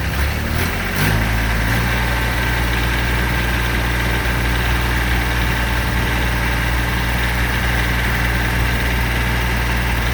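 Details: 2006 Kubota BX23D tractor, D905 three-cylinder diesel, restarted after valve adjustment and valve cover leak check: brief cranking clatter, then a steady even idle with a smooth low beat and no knocks; healthy.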